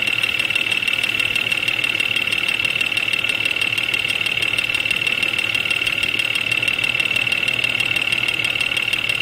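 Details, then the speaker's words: Jeep XJ Cherokee at 175,000 miles, intermittent knock since about 125,000, mostly when cold; chassis-ear probe near timing cover, cylinder five loud: sharp regular tick about three per second over idle; knock, cause unknown, cylinder five plug wire test next. "okay number five cylinder is quite loud we're gonna pull the number five spark plug wire off to take the load off that cylinder and see if that has an impact on the noise"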